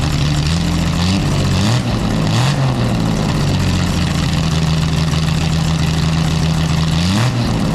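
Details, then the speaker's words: Jaguar D-Type with a new homemade single exhaust with built-in silencers: loud, deep engine with revs rising and falling, fairly smooth without the sharp crackle, still very loud; normal engine note with silenced exhaust. "I think it makes a hell of a difference it's still very loud it just takes that cracking sound out of the engine making it a little bit smoother"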